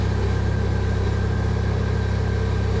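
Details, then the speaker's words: 2008 Chery Jaggi 1.3 petrol after fixing a no-start with immobilizer error P1614 by re-binding the key chip: steady, even idle with no misses, no fault codes, running smoothly. "помилочок Ніяких немає працює рівненько"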